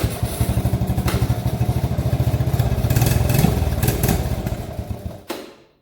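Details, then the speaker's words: 1983 Honda ATC 70 three-wheeler, petcock leaking, choke on: small single fires in a quick, slightly uneven patter, briefly picking up then dying; it runs, but what else it needs is unknown. "Well, we heard it run. We'll see what else it needs."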